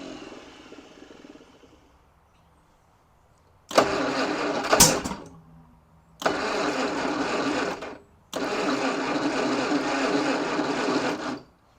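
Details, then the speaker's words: Rare 1953 Kaiser Dragon on its first start attempt in about 50 years, since the 70s, with a long-sitting coil and a dying battery: three rough cranking bursts, a sharp backfire pop, brief catch then dies; owner suspects timing. "I still don't know why he's backfiring like that I think I might have found the problem"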